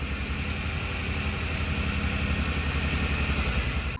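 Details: 1990 Pontiac 6000 SE AWD, sitting 20+ years, reassembled without new intake gaskets, warming up with oil pressure and charging: uneven lumpy idle with wavering low beat, stumbles and a miss; vacuum leak, lower intake gaskets to replace; rubbing muffler adds harmonic.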